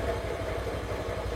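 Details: Honda Scoopy scooter at idle during a fuel pump check, fuel pressure holding about 43–45: steady even putter with no misses or knocks, low constant rumble; fuel pump performing well.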